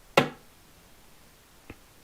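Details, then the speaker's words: Late-1960s Roberts R600 radio from an auction job lot, Mullard module with AF11-series transistors, switched on FM/VHF: one sharp pop and faint click, then dead quiet with no hiss or station; no audio on FM. "we get a pop and nothing nothing on FM"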